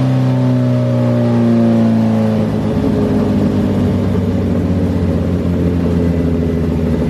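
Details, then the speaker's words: 2008 Suzuki GSX-R1000 on dyno, fuel pressure under 40 PSI at idle: pulls cleanly at first, then turns ragged and uneven, losing power as pressure drops and it runs lean. Lean bog from failing fuel pump. "notice as we rolled into the throttle everything was okay but notice when we started to lose the pressure and this is what happens when we lose that pressure we're going lean"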